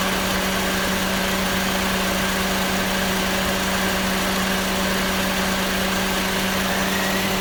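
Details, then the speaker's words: Car AC variable swash-plate compressor engaging at idle: steady low groan with constant hum, indicating insufficient compressor oil; oil was being added, since running low shortens compressor life. "That's actually the compressor kicking in there, even on the variable swash plate. Now, what that tells you is when you have this kind of little groaning noise right there, is insufficient oil."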